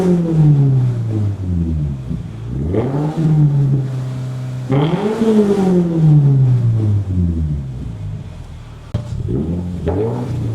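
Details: Subaru WRX boxer engine after rod knock repair: clean throttle blips rising and falling smoothly, no knock or tick underneath; healthy engine revving.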